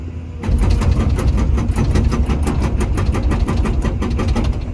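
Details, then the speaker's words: Komatsu PC240-11 excavator hydraulic hammer tested on a rock face, arm curled to preload it, after the owner wondered whether a slow hammer meant a low nitrogen charge: rapid, even blows about eight a second once it bites, strong and regular; hammer judged good. "that's doing pretty dang good so I'm going to go ahead and call the hammer part of it good I don't see any problems there"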